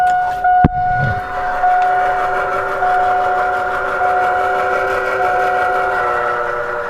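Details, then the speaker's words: AirDog fuel air separation lift pump after fitting new filters: after a sharp clack, steady high electric hum settles in, smooth and even with no surging; switched from the earlier abnormal sound to normal operation. "There we go, it just switched to the regular sound. That's exactly how they are supposed to sound normally."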